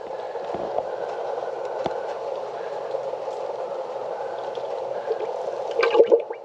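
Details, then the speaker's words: 2005 Chevy Impala after rack and pinion and power steering line replacement, engine off with the steering wheel cycled lock to lock: hollow gurgling and bubbling at the reservoir, like a toilet flushing, as air bleeds out of the fluid. "You hear that air coming out? Sounds like a toilet flushing."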